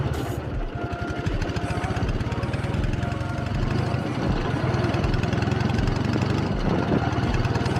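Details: K-750 motorcycle after mufflers welded and repainted to make it quieter; steady, even low popping at idle with firm deep exhaust note, no misses: flat-twin running healthy, normal idle.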